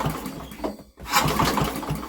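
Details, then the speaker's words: Old Briggs & Stratton generator with a new carburetor, on a very cold, windy day, with a good blue spark: recoil pulls with choke on and off bring uneven pops and brief catches that die at once; fires but won't start. "it wants to go you can hear it it fires wants to go but it just isn't"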